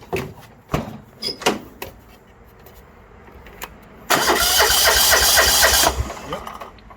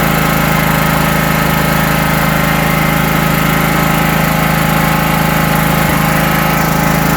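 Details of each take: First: 1980s John Deere 180 tractor with the fuel line off, checking for fuel delivery from the pump. A few clicks, then nearly two seconds of fast, even starter cranking that never catches; the carburetor has not yet been serviced. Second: 1980s John Deere 180 lawn tractor: steady even engine beat with constant low drone, no misses or knocks; has spark and fuel, running smoothly.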